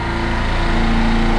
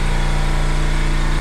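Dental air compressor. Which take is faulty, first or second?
second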